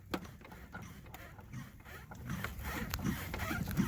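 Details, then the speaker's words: 2010 Hyundai Elantra front suspension rocked by hand, giving irregular dull knocks and clicks from a worn sway bar link; it popped and rattled over bumps. "Hyundai Elantra and that's the sound we get from it yeah that's what that is sway bar link"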